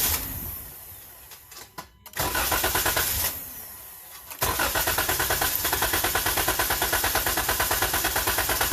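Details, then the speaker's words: 2012 Dodge Durango 3.6L that starts only intermittently; a test light sits on the fuel pump circuit. It cranks, catches briefly and dies, then cranks without running. The fuel pump loses power, traced to a bad TIPM (fuel pump control). "Then I'll try to start it. And the light stays on, but it dies. Now it turned off because it died."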